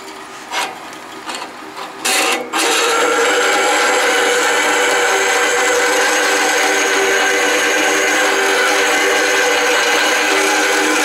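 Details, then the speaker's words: Delta saw converted to metal cutting with a VFD, blade about 125 feet per minute, cutting quarter-inch cold rolled steel dry with a fine blade: handling clatters, then steady even hiss and hum as it cuts slowly; cutting normally. "and it is cutting alright a little bit slow going because it's a fine blade"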